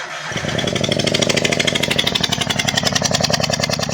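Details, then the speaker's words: Misfiring Maruti Alto 800 with one spark plug removed, running: sharp, loud raw popping pulses about ten a second from the open plug hole; plug fine, ignition coil shows current-leakage tracks and is suspected. Car won't idle, lost pickup, vibrates heavily. "अभी मैं start करूंगा क्योंकि एक plug नहीं है तो आवाज थोड़ा सा ज्यादा बढेगा गाड़ी का लेकिन कुछ टेंशन नहीं चालू करता हूं"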